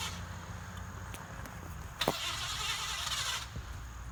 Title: Mans Junky Car Won't Start!